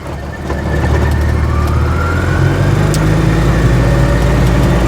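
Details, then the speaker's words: Invacar three-wheeler with CVT and twist-grip throttle, accelerating on the road slightly downhill through 30, 40 and 50 mph: engine holds a steady even drone while a faint higher tone climbs with speed; revs stay constant as speed builds, normal CVT behaviour. "It's a CVT. So, the revs stay constant. The speed builds up."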